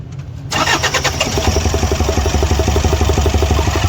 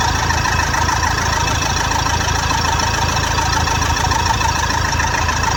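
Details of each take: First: Toyota Fortuner diesel misfiring heavily right after starting: rough, lumpy beat of about four a second with dropped firing pulses, attributed to faulty injectors. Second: Toyota Fortuner diesel after repair of faulty injectors, which had caused heavy misfire: steady, even idle with light regular clatter and no stumble; the engine is now running smoothly on all cylinders.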